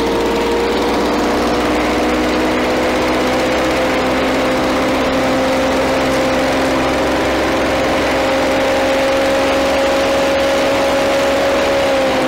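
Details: Victa Power Torque VE40 two-stroke mower after replacing carburettor main jet (engine was flooded at first): steady buzzing note edging up slightly, even with no misses or surging; running properly.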